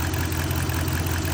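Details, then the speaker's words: 2011 Ram 1500 5.7 HEMI, over 200,000 miles, with cam and lifter failure; a fast, light ticking rides on a busy idle. Owner also suspects a leaking exhaust header. "So I got it up and running. You guys can probably hear it ticking. I do think I have an exhaust, the HEMI 6 exhaust headers leaking or something too."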